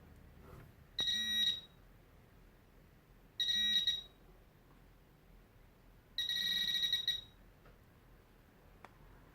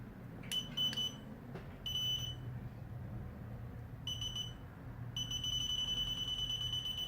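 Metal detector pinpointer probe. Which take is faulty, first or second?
second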